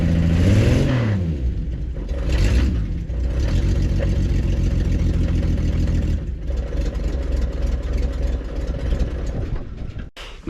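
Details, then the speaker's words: Prewar Austin/Crosley single-seater race car: a rev settles into an uneven low tapping, then shutdown; a low-speed knock that clears with revs, which owner says is not bottom end or pistons and suspects loose torque converter bolts, unconfirmed. "Our railway is not bottom end and it's not pistons because it goes away when you rub it. Excellent. It's the first time I've heard it run clean."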